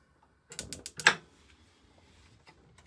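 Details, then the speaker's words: 2025 Grand Design Transcend 151BH camper stove, gas off with some left in line: pushing the knob gives five sharp igniter clicks in about half a second, then scattered faint ticks; normal spark igniter operation. "Whenever the gas up front is turned on, and you want to light, just grab the handle, push it in, and you can hear the clicking."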